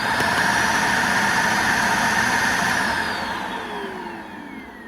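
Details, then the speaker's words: Shark Lift-Away (Navigator) vacuum with zero suction: a loud, steady high-pitched whistle over the motor hum that fades on spool-down, as a clog forces air through the blow-off valve. "All vacuums have what's called a blow-off valve in them. So when they get a restriction somewhere inside of them, the motor will not overheat and it will still allow air to pass through."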